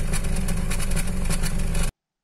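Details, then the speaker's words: Petrol car at idle, heard at the rear bumper by the tailpipe; exhaust pulses now and then stumble out of rhythm, an intermittent misfire with the check engine light but no stored codes; plugs, coils or wiring are suspected. "if you go back to the rear bumper of the car, then you can clearly hear how it goes, the exhaust from the exhaust pipe was not carried out in time with the operation of the engine, that is unevenly, this means that the error is floating"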